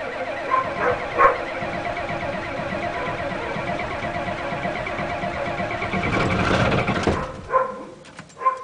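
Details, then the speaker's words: 1987 Ford F-250 6.9L IDI diesel, cold start after sitting 5 months on #2 diesel, about 40°F, glow plugs cycled: cranking catches into a clattering, slightly uneven idle, a little rough before settling; earlier attempt failed, gelled fuel suspected. "more and there we go little raw but not bad remember that had been sitting 5 months"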